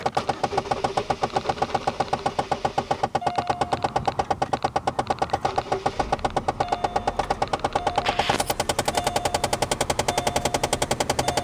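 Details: Rapid, steady clicking from behind the dash of a 2007 Chevrolet Malibu LS that won't stop: a stuck HVAC mode or recirculation door actuator whose gears slip against each other; fix is freeing the door and replacing the actuator.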